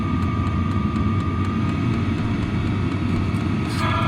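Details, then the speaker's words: Vevor 5kW diesel heater exhaust running with no muffler fitted, compared with the factory and aftermarket mufflers; a loud, steady roaring rush with a thin whistle over it. Loud without a muffler. "No muffler, and the factory muffler. I'd say that's a pretty big difference."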